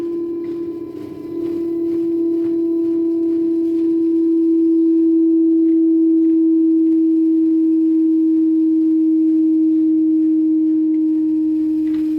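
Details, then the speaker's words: Daewoo inverter washer-dryer (9 kg wash, 7 kg dry) at rising spin rpm: loud steady siren-like whine, not bearings; failed stator hall sensor, fixed by replacing the sensor. "this is very bad noise actually customer is correct he is telling we cannot stay at home we got this much noise"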